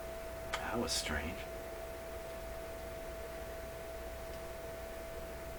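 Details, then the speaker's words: Canadian Electrohome tube console radio under repair, run at full line voltage on radio: after tapping the chassis, a steady mid-pitched whistle rings over a low hum; source unclear, another wiring error suspected. "that's the radio trying trying to get its signal out it's trying its best"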